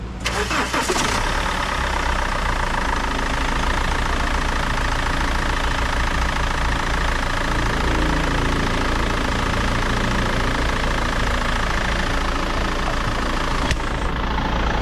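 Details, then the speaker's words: 2008 BMW 520d E60 diesel after applying Permatex dielectric grease to new drive belts (tensioner, pulley, alternator bearing already replaced): engine catches into an even idle with no chirp or squeal from the belt drive; temporary fix, squeak returned after about a week. "turn it on this one now it's so silent so works and I hope it helps other people"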